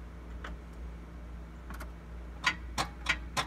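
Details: A handful of dry, quick clicks with no cranking over a quiet background; dead battery too weak to turn the starter, while testing an Autowit Supercap 2 supercapacitor jump starter.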